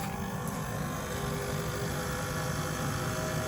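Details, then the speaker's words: Renault Zoe electric car, heating on: steady low buzz and whir with faint clicky hum from the heat pump compressor as radiator fans start, normal, cabin heating well. "So it's buzzing. It's woring. The fans are starting on the radiator. So yeah. So, you can get that clicky buzzy noise. That's normal."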